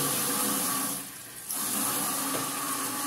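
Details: Caroma dual-flush toilet cistern refilling after seal/washer replacement: steady hiss of water filling with a short dip midway, even flow with no squeal or hammer; inlet valve working properly.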